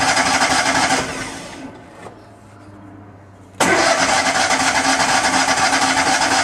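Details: Miller Bobcat 250 welder, gasoline engine, 34.1 hours, unused since July, cold January, fresh gas added: starter cranks in even pulses, pauses, cranks again, never catches; owner suspects flooding after choking.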